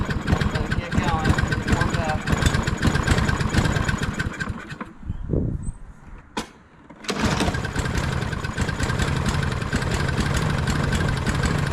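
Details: Husqvarna LC 221A push mower with a Briggs and Stratton engine, which sat over winter and would not start, after its carburetor was cleaned: a steady single-cylinder putter dies briefly, then catches and settles into an even run. Normal start and idle.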